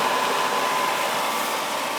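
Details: Tjernlund power venter on an oil boiler, after fitting a new switch kit with new vacuum switch and tube; the old switch was not pulling in fully. Steady even fan rush with a faint constant hum, no rattles or surging; the venter now runs normally.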